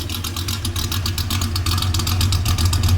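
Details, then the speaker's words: 1967 Ford Mustang first start and drive after transmission repair (slave cylinder, crossmember, speedo cable, driveshaft, synchromesh fill), not run in four months; deep, loud V8 burble with an uneven lope swelling on revs, no ticks or knocks; healthy. "all right I haven't driven this thing in four months I'm actually really excited punch feels good she sounds good"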